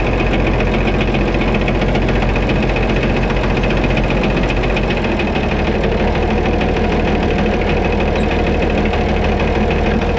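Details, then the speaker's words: White 2-155 tractor engine running steadily after restart, dull persistent hammering under the clatter with slight stumble; blow-by, exhaust and oil pressure normal, internal knock cause still unknown, engine work planned. "when I parked it here I shut it off and then started it back up and that ran still hammered"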